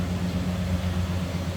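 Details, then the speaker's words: 1970 Chevrolet Chevelle Malibu, numbers-matching 350 L48 V8, idling in neutral, heard from the rear; steady low burble, even unbroken pulse, no ticks or knocks; normal healthy idle. "Sounds good. Nothing crazy over the top."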